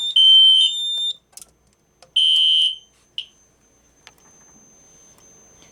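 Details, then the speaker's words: System Sensor Spectre Alert P1224MC horn strobe on Kidde FX panel running on batteries, which switches output to filtered DC: loud, clean high-pitched blasts about a second each, repeating, smoother than on FWR — normal horn strobe tone. "As you can tell, it does sound smoother on FW on filter DC."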